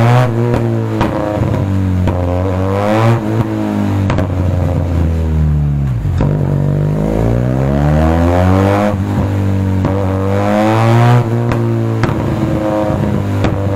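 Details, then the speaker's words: Benelli TRK 502 motorcycle with stock muffler silencer removed: revs climb and fall with sharp exhaust pops as the throttle closes, backfire on deceleration, before a remap and AFR adjustment to reduce it. "Okay so problem ni sir meron din siyang backfire backfire yung k kasi wala na nga yung silencer natin stock muffler kaya may putok na pero kaya nating bawasan yan"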